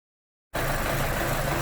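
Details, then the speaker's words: 2011 Chevy Cruze 1.8L with multiple codes (P0171 lean, O2 sensor circuit low, knock sensor), coolant found in wiring harness from melted thermostat heater: engine catches and lopes unevenly at idle; rough idle from lean condition. "and here i got it fired up and it's loping pretty good here right at an idle"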